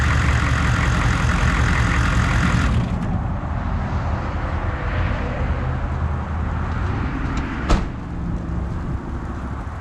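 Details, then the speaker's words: 1994 2500 diesel, after new fuel filter, hoses and cleaned-up faulty wiring: cranks fast and starts into a deep, steady rumble and even idle with no sputter; before repair it cranked slowly and sputtered a lot. "You see how fast it it was spinning to start. Before it wouldn't do that."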